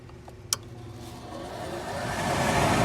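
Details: Furnace with spark ignition after replacing bad ignition board: vent motor, pressure switch, then a sharp single click and a smooth, steadily rising rush of flame building evenly; normal ignition sequence.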